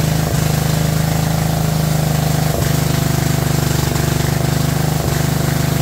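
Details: Abandoned 2004 Murray lawn tractor, Briggs 12.5 HP OHV single, first run: loud lumpy chug with a stumble every couple of seconds, choked and running rich; flooding cause later fixed and carburetor adjusted.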